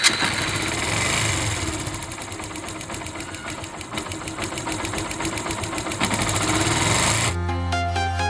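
Fast, fairly even tick-tick, about two a second, rides over the idle with music underneath; a light top-end rattle, cause unconfirmed.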